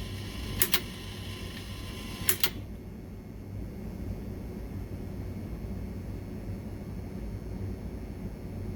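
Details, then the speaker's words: Alliance Tenna Rotor U-83 antenna rotator motor turning toward the end position: two sharp clicks, then a quiet, even low hum of a normally running motor. "here we are not totally done yet we hear the humming noise so let's get to the end position"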